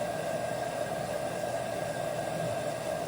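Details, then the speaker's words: LG front-load washer after water valve replacement for IE code, diagnostic fill test on apparently the main water valve: steady clean rushing hiss, no chatter; pressure reading drops 261 to 240 as water enters; valve filling normally. "you can see the numbers was that 261 now it's at 240 so we know the pressure switch the water's coming in the numbers go down"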